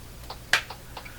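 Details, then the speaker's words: Ham radio in the background repeatedly breaking squelch with sharp irregular pops about four a second instead of popping once, heard during a Hammarlund HQ-100A receiver alignment; cause unknown, possibly someone playing with the repeater, stopped on its own. "Okay, that sound you're hearing, that popping sound, that's a squelch breaking on a ham radio behind me. Why it's doing that? It should just pop once."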